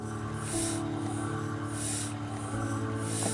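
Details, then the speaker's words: Unimom breast pump (Forte/Allegro/Minuet) running with the shield sealed: steady motor hum with a significant airy hiss on each suction cycle, from a faulty backflow protector whose membrane moves crookedly; an air leak that needs a new unit. "so here's an example of a faulty backflow particular unit firstly you can see inside the large membrane is a little bit crooked as it comes up and down it's not very even and secondly you can hear a hissing sound it's quite significant"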